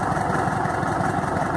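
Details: VW Beetle (Fusca) engine after replacing a very dried-out, overage belt that was causing a strange noise. A steady, smooth low chuff at idle with no squeal or chirp over it. Noise gone; normal idle.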